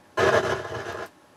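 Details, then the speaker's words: Harman Kardon HK580i receiver: with the subsonic filter engaged, a sudden hiss-like rushing noise about a second long comes from the left channel, independent of volume; everything else works fine, and the owner suspects a known fault. "sometimes it starts up there's a lot of noise in the Left Channel and it's a rushing uh sound doesn't sound good so the problem with this is the subsonic filter when I press it you hear that try it again and it's independent of volume"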